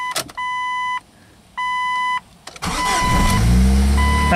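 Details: Son's Jeep 2.5, previously a no-start, after replacing a burnt-through part: two steady chime pulses, brief starter crank, engine catches promptly and settles into even idle. Normal start.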